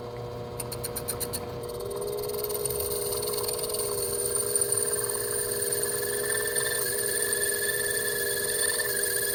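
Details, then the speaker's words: Lathe boring a homemade gunsmithing bench block with a flipped boring bar at slow speed and slow feed: a steady machine hum with a ringing, squealing tone under the cut from tool chatter. "Go ahead and feed it pretty slow as well, just because you can hear it. On the chatter."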